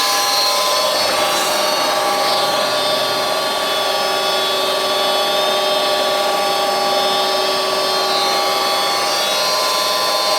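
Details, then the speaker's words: Goodman gas furnace with burnt board and main power wire, breaker just turned on: inducer exhaust fan motor runs with steady even whir and constant hum, no rattle or scrape; fan healthy. "all right exhaust fan motor is running now when I turned that breaker on"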